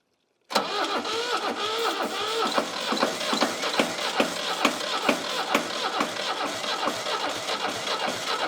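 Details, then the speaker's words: Old Shibaura diesel tractor that sat for years, cranking with the top injector line cracked open to bleed air: steady cranking with sharp firing pops every half second or so, but it won't run on its own; bad fuel is suspected. "Oh, it's so close. Whew. It's close. It's really, really close. I think it might be some bad fuel that's still in there."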